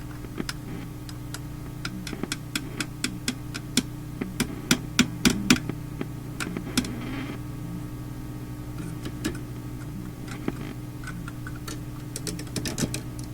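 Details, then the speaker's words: Philips Sonate BA581A vacuum tube radio, tapping parts near volume control: irregular sharp taps over steady mains hum, each setting off crackles; microphonic loose parts, not thought to cause the crackling. "it's a microphonic uh arrangement here with these parts that are not like held down or floating i don't think it's the cause of the crackling very sensitive"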